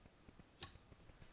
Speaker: display you can also hear the clicking of the PLC's relay output and if I focus in on the display of the PLC you can see if I turn this on input lights up output lights up turn it off they both go off